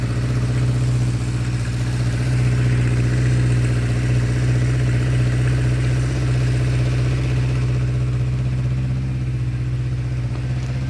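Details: 1976 Honda CB550 four-cylinder chopper, first start in nearly 50 years with carbs refitted and temporary fuel line: smooth, even low idle with steady deep hum, no knocks, misses or rattles; healthy.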